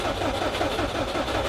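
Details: Subaru WRX with swapped JDM EJ20 engine: starter cranks in a steady, even rhythm, scanner shows crank signal, but engine never fires; crank no-start, cause not found.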